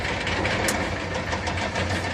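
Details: Caterpillar 6.6 diesel excavator engine idling with an uneven, stumbling beat and irregular dropped pulses over the low rumble; engine misfire.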